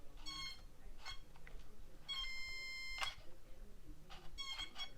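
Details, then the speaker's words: HBX Rampage RC truck, steering works: short high-pitched ESC whines with each throttle blip but no drive; both front and rear wheels are bound up when turned together. "you hear that ESC whine, but nothing's happening."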